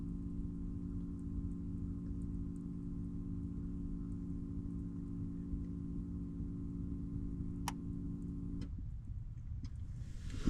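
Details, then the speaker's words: Vehicle at key-on; steady low hum with faint ticks from the fuel pump on the fuel rail runs about 18 seconds before stopping, far longer than normal. Pump was replaced under a month ago; white smoke present, fuel-pressure problem suspected. "You hear that low humming noise? It took 18 seconds for it to go away. That low humming noise was my fuel pump on my fuel rail,"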